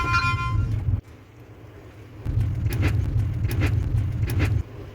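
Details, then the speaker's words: Kia Ray rolling over a speed bump: low road rumble with sharp squeaky creaks in quick pairs from worn stabilizer bar rubber bushings, noted as worse in winter. "여기 보시면 스테빌라이저를 잡아주는 부싱이 있어요 고무 여기서 나는 겁니다 여기서 삐그덕 삐그덕 찌그덕 찌그덕 하는 소리가 여기서 나는 거"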